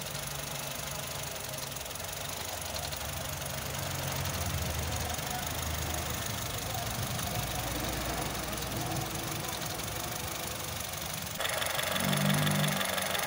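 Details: Honda City i-VTEC idle with uneven stumbling pulse about four times a second under noisy background; misfire from bad coil pack, coil pack changed.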